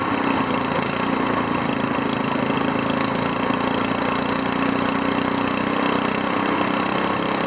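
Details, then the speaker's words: SPS Longtail mud motor, freshly built and still cold, just after its first oil change following a 3-hour break-in, now on 10w-30 Royal Purple synthetic with 2 oz BestLine. The single gives a quick, even buzz with no misses or knocks, revving a little smoother; it sounds smooth and healthy. "yeah just seems to be revving a little bit smoother"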